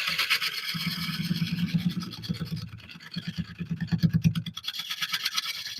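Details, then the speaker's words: Wood lathe turning an oak burl bowl from found wood: rhythmic scraping bursts, about three a second, as the gouge bounces and chips on each rotation over a knot the turner is trying to avoid; tool chatter from the knot. "I'm not sure why is that chipping as it comes around. It's bouncing. Let's see where I'm bouncing from. Oh, because of this. Because of that knot."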